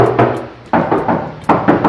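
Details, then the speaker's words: Fiat 147 under restoration, hand knocks on the trunk (baúl) sheet metal: hollow thumps in pairs ring on briefly where the panel is unsupported and booms, unlike the solid area at the rear suspension mount, so it needs deadening. "aquí hace el sonido a que retumba mucho, en cambio aquí no, porque aquí está todo lo que es el soporte del tren trasero."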